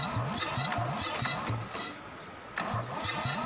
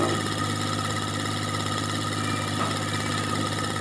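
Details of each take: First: Kubota L2002DT tractor, D1302 20hp diesel, decompression release stuck: slow, labored cranking at about three to four strokes a second, with a pause and a retry, never firing; hard starting from the stuck decompression release. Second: Kubota L2002DT tractor, D1302 20hp diesel, after fixing hard starting caused by a stuck decompression release: steady, even diesel clatter at constant idle with no misses or knocks; idling normally.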